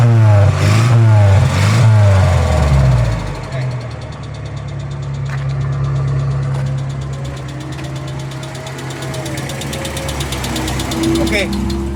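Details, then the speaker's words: Van after replacing a rusted fuel tank, test before return: after a rough start the idle settles with a light, regular knock about two or three times a second; piston slap. "Sekarang ni apa yang saya jumpa enjin ni bunyi knocking eh."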